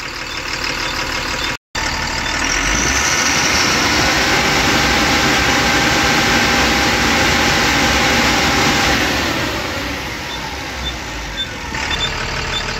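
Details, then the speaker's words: Tata 2518 BS4 tipper diesel truck with complaints of knocking, tractor-like noise and black smoke. After the No. 4 injector was refitted and the engine started, it gives a steady, even idle with no knocking or hunting; the noise is gone, a normal idle. "Fitting करने के बाद गाड़ी start किया हैं यह तब तक का आवाज बंद हो गया है"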